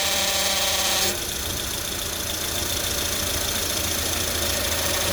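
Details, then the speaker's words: 2004-08 Acura TSX power steering pump, idling at full left/right lock: steady high whine, absent straight ahead; air leak suspected, high- and low-pressure O-rings to be checked. "every time he turns far left and far right we get a very specific sound so it stops up fine"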